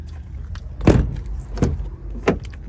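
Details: Mk8 Ford Transit door after tightening a T40 bolt to cure a click on every opening: three solid door thuds over a low background rumble, with no extra click or rattle from the latch; normal operation.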